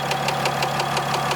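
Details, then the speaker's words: 4th-gen dually diesel warm at about 180° idles with a sharp regular knock about six times a second and slight blow-by, unchanged after new tune file; owner suspects an injector, unconfirmed. "hear that knock in but it's like pretty obvious little bit of blow by it's nothing crazy though you know what I'm saying it's typical truck's at about 180° right now it almost it almost sounds like an injector"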